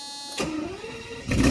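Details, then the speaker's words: First cold start of the day on a 1992 Mercedes 600SEL V12 barn find, oxygen sensors removed and exhaust awaiting repair: about a second of starter whir, then the engine fires and swells in volume; no fault audible. "This is going to be a first start for the day. Cold start."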